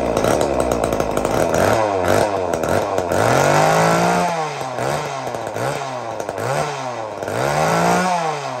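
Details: Old Homelite Super 2 chainsaw, just rebuilt with a carburetor kit: fires readily and revs up and down in quick even blips, picking up cleanly each time and dropping back to idle: normal running.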